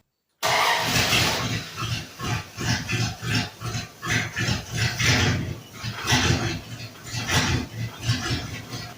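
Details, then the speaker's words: 1948 International panel truck rat rod with a body swap, first start in 2 years: engine hunts and surges about every half second, hissy and ragged; smoke test found a massive vacuum leak under the throttle position shaft. "Well, it's running, but sounds like Smoke test for vacuum leaks. Can you tell where the leak's at? Yeah, right there underneath that throttle position shaft."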